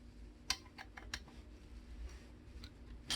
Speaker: 썩그럭 소리가 나요. 흙이 들어갔다는 얘기겠죠? 지금 서그럭 소리가 나죠?